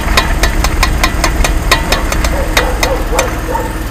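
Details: Jeep Wrangler JK front left wheel rattle only when turning hard left: sharp metallic clicks three or four a second over low drivetrain hum; worn front axle universal joint, found with broken cylindrical bearings and replaced.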